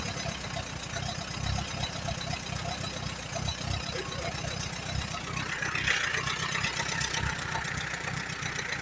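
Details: 1938 Allis Chalmers B with Waukesha gasoline engine: lumpy, uneven idle with irregular low thumps about four a second, stumbling off choke. It runs rich on near-full choke, with a worn carburetor.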